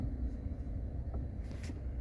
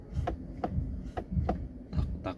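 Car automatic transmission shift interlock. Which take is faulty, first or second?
second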